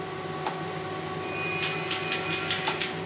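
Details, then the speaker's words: Home-built RC model truck after fixing over-long screws pressing on the gears: steady electric whine broken by sharp irregular clicks, running too slow; gears sound like they're skipping teeth, suspected assembly error. "too slow almost as if something's not quite sounds like it's skipping all so I've definitely done something wrong somewhere along the lines"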